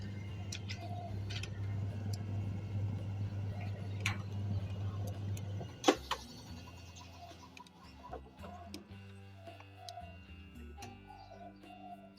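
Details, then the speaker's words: Samsung washing machine, spin-dry program after frequent freezing/errors from rat-chewed wiring: steady spin motor hum cuts out with a clunk, stops briefly, then patchy running resumes; intermittent spin motor stall from rat-chewed wiring. "ก็นี่มันอยู่ดหยุดไปแป๊บนึงนะครับหยุดไปแป๊บนึงแล้วก็ระบบปั่นแห้งก็ทำงานเหมือนเดิม"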